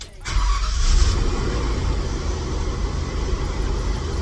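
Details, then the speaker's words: Mercury Grand Marquis (1995-97) after sway bar link replacement, fuel pump primed first: short crank, quick catch, steady even low rumble, charging at 14.5 V; starts and runs normally. "That's what we want. That's what we want. Back charging 14.5. All right, so everything cranks up like how it's supposed to."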